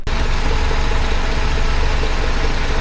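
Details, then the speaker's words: 1976 BMW 2002 (E10) M10 engine with new Weber-style carburetor, swapped coil, cleaned rotor, electronic ignition: after running a straight vacuum line to the distributor, steady, even idle with no stumble, smooth as silk. Normal idle. "So that just made it run smooth as silk now."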